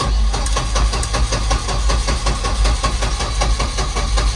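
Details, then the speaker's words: Turbo Volvo 245 on aftermarket ECU, first start in much colder weather, possible E9 voltage error shown: slow irregular chugging, catches but won't settle; hard starting, suspected too lean, startup enrichment and prime pulse to be raised. "It's trying. Sounds like it's probably too lean."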